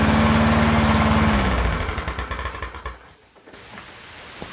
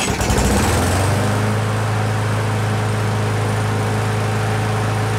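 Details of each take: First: Used push mower started on quick-start spray: it chugs slowly and unevenly, then stalls within seconds because idle is extremely low; the governor bracket looks tampered with, and the fix is bending the tab upward for more spring tension. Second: End-of-season used push mower with jerry-rigged brake cable: starts first pull, settles into a steady even drone with no misses or knocks, then shuts down cleanly; healthy running.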